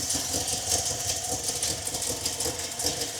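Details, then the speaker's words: 1961 Buick LeSabre V8 after radiator and fan upgrade: smooth steady idle with even low rumble, much quieter without the old fan roar; healthy. "But you will notice how much quieter it is. without pushing that fan."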